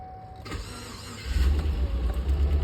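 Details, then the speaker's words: GMC Yukon crank-no-start after stalling: starter whir, then the engine catches with a deep rumble only on starting fluid sprayed into the throttle body and dies off; fuel pump not priming, needs replacement with tank dropped. "you see how it starts like that it's going to end up dying off obviously cuz it's not getting fuel and we stall out right so that tells me that the fuel pump is not priming like it's supposed to"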